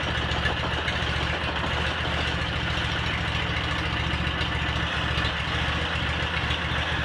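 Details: Cub Cadet 782 garden tractor fitted with its 42-inch snowblower, started after sitting a couple of days: low, steady thrum at an even idle with a constant beat and no misfires or odd noises; normal running.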